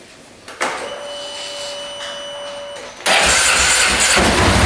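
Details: 2010 Polaris Sportsman 550 ATV, unrun for years, just after valve clearances were set to 0.006 in: whirring starter turns the single-cylinder engine briefly, then it catches and runs strongly without throttle.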